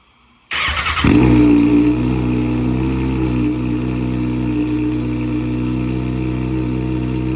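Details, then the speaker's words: 2023 Kawasaki Ninja 636 salvage bike, 2457 miles, oil level checked, first start after auction: quick crank, catches at once, loud throaty blip, then steady even idle — normal start and idle. "Scared me a little bit, but this thing does run. That's really good."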